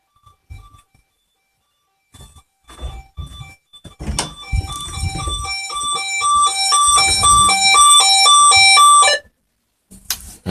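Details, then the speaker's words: Burglar alarm system test with window open: indoor alarm sounder gives a loud, piercing pulsed tone that warbles fast for about five seconds, then cuts off; audible through the whole house, sounder working properly. "let's leave the window open so you can hear the sound it is quite loud"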